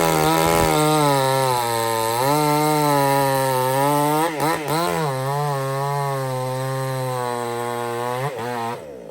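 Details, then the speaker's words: Supmix 54cc clone chainsaw (sold as 55cc), not run for 2 months, cutting under load: screams at high revs, holds pitch with small dips, no lugging; runs flawless, though chain loosens and oiler is slow to kick in. "other than that thing it just runs Flawless it's you could hear it there it didn't even lug down like it it cuts good"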